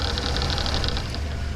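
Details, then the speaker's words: 4450 tractor AC blower motor bench-tested on a battery: low hum with fast, buzzy rattle from a worn bearing with play at one end, causing the rumbling heard in the cab. "So yeah, I heard it rumbling in the cab. That's what it is. It's that bearing."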